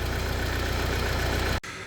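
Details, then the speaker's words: Peugeot Expert 2.0 HDi diesel at idle, belt-driven with the two cams linked by a chain, number 1 injector seal also leaking: steady idle with a fast, even metallic chatter from one side of the engine. Timing chain rattle; chains to be replaced. "You hear that chattering? It's coming from this side over here. If you don't know what that is the timing chain."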